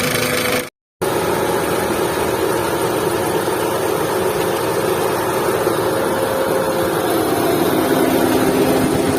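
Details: Volkswagen Vento engine running at steady speed with a rapid, uneven ticking clatter over a faint whine. Abnormal engine noise; cause suspected, not confirmed.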